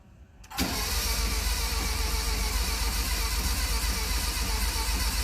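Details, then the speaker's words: Fiat X1/9 with new oil and filter, distributor cap and rotor in good shape, cam turning and spark confirmed: steady uneven cranking that never fires; owner suspects flooding or fouled plugs, not confirmed. "acts like it's flooded let's see here maybe the customer tried to crank it over when i had those parts"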